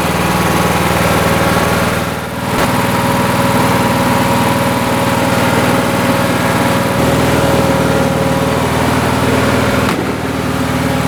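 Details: Lawn tractor single-cylinder engine after the choke linkage fix for hard starting; settles into a steady, even idle with a smooth beat and no misses, running healthy.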